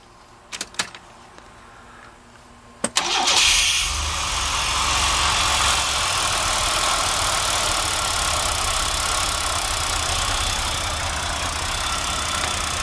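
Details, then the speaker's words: GMC Safari van engine idles evenly after a few starter clicks, after a fuel injection flush service and the fuel pump being plugged back in; it already runs noticeably smoother. "there you go yeah I can already tell quite a bit smoother"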